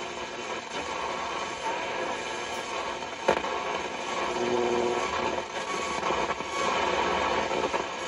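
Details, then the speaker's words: Vintage radio tested indoors on AM band: steady crackling hiss with faint whistles and pops instead of a station; heavy AM interference suspected from household electronics. "well, we got a lot of AM interference with all the electronics in here."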